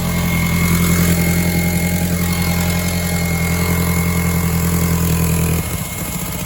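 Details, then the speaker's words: 2002 VW Golf GTI 1.8T AUM, 150 hp, 169,000 miles, cold start: uneven, lumpy idle with wavering beat, settling later; misfire on starting, owner suspects leaking secondary air pump system; coil packs still to change. "Now I'm having a misfire on starting and I've got a feeling it's related to this, which is the secondary air pump system."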